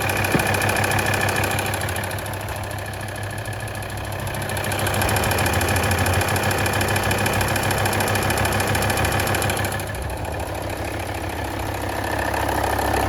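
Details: Volvo D5244T12 diesel, 170,000 km, cold start below +5°C: fast, even tick over the idle. Heard loudest from the front wheel arches (right slightly stronger) and near the drive belt; the engine runs smoothly and the tick disappears once warm.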